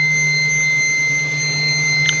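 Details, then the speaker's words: Supercharged (M90) 1UZ V8 in a Toyota Prado, freshly rewired, with the throttle stop not yet set: a steady high-pitched whistle over an even idle from air sucked in through an intake vacuum leak, being hunted around the intake. "donc avec le bruit qui couine dans nos oreilles pour obtenir un soutien-gorge ke propre, nous commençons simplement à le mettre autour de n'importe quel point que nous pensons que l'air pourrait entrer dans ce moteur provoquant ce grincement aigu"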